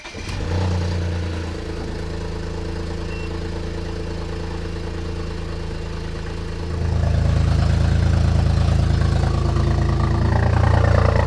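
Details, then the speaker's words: BMW 335i running on three cylinders, with misfire codes for 4, 5 and 6 and an MSD80 DME 30BB fault. After replacing the DME mosfets, it idles with an uneven, lumpy, stumbling beat and is still misfiring. "up all right it's definitely definitely still misfiring"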